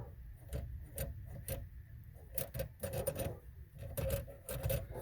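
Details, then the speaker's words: 2003 Ford Fiesta, engine off, steering wheel rocked by hand: irregular light clicks and rattles from excessive wheel play. Steering column rattle from a loose spring. "tiene un movimiento vean Cómo se mueve aquí se escucha también ruido y aquí trae un resorte suelto"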